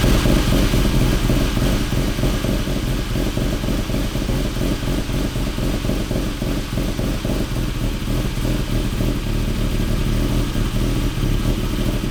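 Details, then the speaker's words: K24-swapped Honda CRX at startup, recorded 10–15 ft away; the car won't go over 2,000 rpm. A loud, irregular metallic tick or knock about four times a second varies in loudness, and its cause is not yet found. "so it was a pretty distinct like knocking or tapping noise I'm sure you guys can hear it okay and keep in mind the camera was like 15 ft back and you can still hear it"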